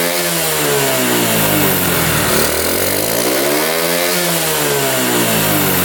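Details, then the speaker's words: 1972 Honda CT70 single, bought at auction with a bogging problem, revs smoothly and returns to a steady idle twice, crisp and clean; timing F mark centred at high idle, creeps slightly when revved: normal running. "Oh, we're right there. We are perfect. Turn the idle down a little bit. That's right where we want to be here."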